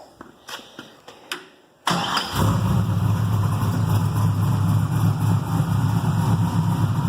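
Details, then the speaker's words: Carbureted 6.0 LS V8 with mechanical fuel pump and distributor, heavier pistons, solidly mounted to frame, first run after machine work: starter clicks, then catches and settles to a steady, even low rumble, no vibration; normal cold start and idle. "i haven't noticed any vibration with the pistons being a little heavier so that's a plus"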